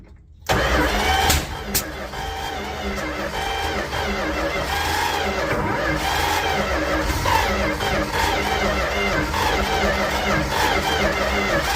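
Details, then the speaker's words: 1967–70 Dodge A108 van, 318 V8, three-on-the-tree manual, with timing issues and ignition coil just hooked up: steady cranking with sharp pops and backfire bangs, never catches. Cranks, backfires, no start; firing order to be checked. "Nothing. She popped and banged. Wasn't happy about that."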